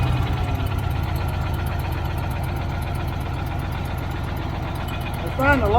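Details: Old Caterpillar D6 dozer diesel at about half throttle, running fine once the fuel problem was sorted: steady, slightly rough chugging beat with a little squeal near the end; runs pretty good, normal running.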